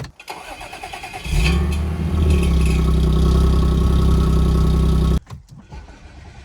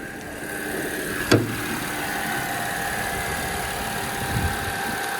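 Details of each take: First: B8 Audi S4 with replacement transmission fitted: engine cranks and catches with a brief metallic rattle from the exhaust, then settles to steady idle. Source of the metallic noise unknown; car also smells rich. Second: B8 Audi S4 after replacement transmission fitted, idling with hood open: even steady idle with faint constant whine over smooth hum and one brief early clunk; runs healthy, though car smells rich and uses fuel quickly.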